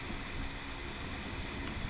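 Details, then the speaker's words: Z car, front hub turned with brakes apart: steady coarse gritty rumble from a worn front wheel bearing; hub or bearing needs replacing. "you hear that wheel bearing that's that's not good so I think tearing this down is the idea"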